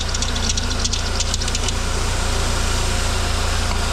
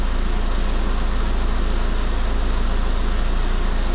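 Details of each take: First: Idling car with harsh metallic chirping and squealing from the accessory belt, which spraying quiets immediately; the belt was then cleaned of dirt and oil in its grooves. Accessory belt noise. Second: After blowing compressed air through the alternator, a car from a mixed Cavalier/Corsa/Astra/Saab fleet idles with a steady low even beat; the belt, which had been chirping, now runs quietly, headlight flicker seems to have stopped and voltage is steady near 13.9 V.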